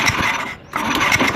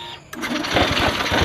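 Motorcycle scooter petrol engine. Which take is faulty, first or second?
first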